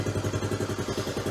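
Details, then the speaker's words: Honda Trail 90 (CT) with factory ignition coil fitted and carb tuned: even unbroken thump about eleven beats a second, no misses, plenty of fuel, spark and air; healthy idle. "that's how it's supposed to sound that's what it sounds like with a factory coil in it there's no stuttering no misses it's not a fuel issue got plenty of gas plenty of spark plenty of air it is ready for the road"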